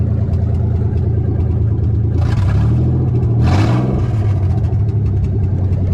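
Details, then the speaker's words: Nissan 300ZX with engine just swapped in, cold, open downpipe, non-OEM MAF: lumpy uneven idle, rev stumbles and hangs; misfire and hesitant revving, owner suspects old bad gas. "Definitely still got some of that bad gas in there. I'm gonna have to guess that that's what the missing is all about. So we'll get all that old fuel out of the fuel lines, get it all circulated, and hopefully get a little bit better."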